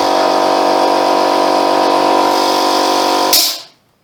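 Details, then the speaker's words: Free Ford air compressor running after a gasket replacement: steady pumping hum builds pressure, then a sharp hiss as the safety valve lifts; normal running with safety valve blow-off. "tell you what that's the first time that that's blown off like that hasn't it in in years that's better"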